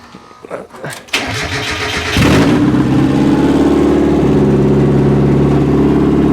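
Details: Mazda Miata drift build project car, battery just reconnected after a failed first try: several seconds of uneven cranking, then the engine catches and settles into a steady, even run.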